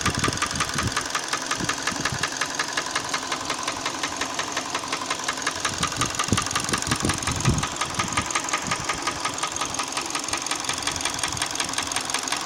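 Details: Hyundai ix35 petrol engine at idle: sharp metallic ticking knock about three a second, steady over smooth idle; internal engine knock, cause unknown.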